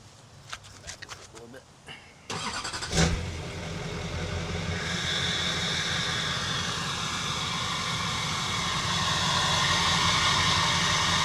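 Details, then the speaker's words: Duramax LLY diesel after fitting an LB7 mid/down pipe that removes the catalytic converter, lowering EGTs: starts and settles into a steady even idle, not too loud, sounding about the same but with audible turbo whistle; normal idle. "That's not It's not too terribly loud. Just you hear like this. Sounds about the same, but you can hear the turbo whistle."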